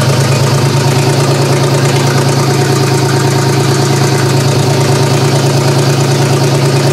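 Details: GM 3100 V6 swapped into a Camry, first start-up, vacuum leaks present: fast, lumpy idle thumping about three times a second with an uneven beat; owner suspects cylinder two not firing, possibly a bad coil pack.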